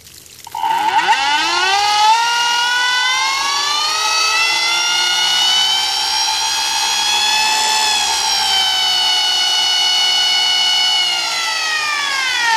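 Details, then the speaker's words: Golden Motor 5kW 48V electric outboard on an Infineon controller, speed limiter removed: clean whine climbs fast in pitch, then holds high and steady with nothing rough; motor spinning freely at high rpm. "RPM it's fast enough where it scares me and might damage something so I don't want to run it that high"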